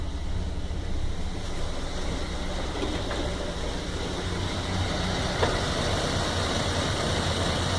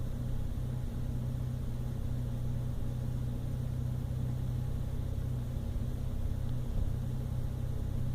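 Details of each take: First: 1997 Toyota Land Cruiser FZJ80 (1FZ inline-six) with a rough idle that carried on to about 2000 rpm. The idle rumble is uneven and lumpy and stumbles irregularly. The MAF and intake were checked; the owner suspects an ECU reset after driving fixed it. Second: 1997 Toyota Land Cruiser FZJ80 (1FZE petrol six) after a rough idle fix, probable ECU reset after a 3-mile drive: steady even idle, a lot smoother and pretty stable, though some slight shaking remains.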